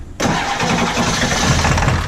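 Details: 7.3 diesel truck that ran out of fuel, with a new crank position sensor, air found in the fuel bowl, system reprimed and batteries weak: starter grinds while the engine catches in ragged, uneven bursts; cranking, trying to fire.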